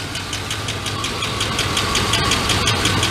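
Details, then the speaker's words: GMT 400 truck after long cranking on bad old gasoline: sharp even ticking about three per second over rough idle; owner calls it a lifter noise, oil clean, different valve springs fitted, later found worn #3 intake cam lobe/lifter. "this is a lifter noise the oil is super clean i do have different valve springs in here"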